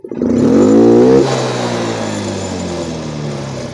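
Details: Yamaha Mio M3 125 injected scooter: sharp clean snap from idle to full throttle, then smooth quick fall back; crisp normal throttle response.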